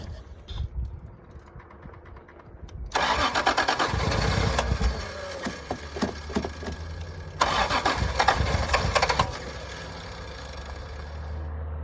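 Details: 1986 Toyota Supra, long-idle revival, gas squirted in as starting fuel: two cranking bursts each flaring briefly into firing then dying; won't keep running, no fuel pump heard, owner suspects a dead fuel pump.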